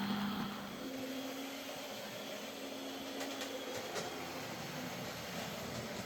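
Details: Old Hornby R751 Class 37 model locomotive after repair, with corroded wheels cleaned using a rotary brass brush: light, steady electric whirr with an even tone and no grinding or stutter; motor running smoothly.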